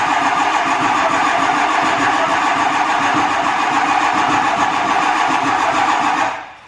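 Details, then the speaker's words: Ford 7.3L Powerstroke diesel, cold with block heater unplugged: cranks steadily at about three and a half turns a second for six seconds without catching; a long, hard cold start. "She's cold. We're gonna have to plug that fucking block heater in"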